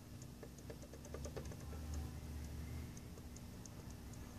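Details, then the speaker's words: Mercedes SL55 supercharger idler pulley rocked by hand: light, uneven ticking from a worn bearing with play. "as you can see this pulley moves that is another common problem this bearing goes pulley starts to move more so this one already moves you can even hear"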